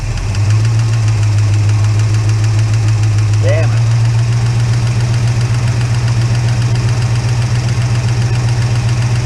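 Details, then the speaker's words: Holden HK engine idling just after startup, before oil had reached the top end. A fast, light tapping comes from one non-adjustable hydraulic lifter, and the noise stops when its pushrod is held up. "so I hold that bush Rod up the noise goes away I put down on the list and the noise goes away so how do you get rid of the [ __ ] lifter noise"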